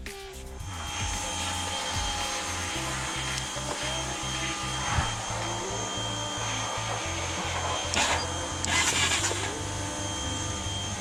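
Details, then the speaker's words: Honda 400EX ATV starter motor spinning freely on the bench after rebuild, previously only clicking; owner thinks brushes were too tight and stopped rotation: steady electric whir of fairly even pitch; starter runs cleanly. "all right guys so i just tested the starter and it's starting i think the brushes were just so tight on the uh stator that it it didn't allow it to rotate"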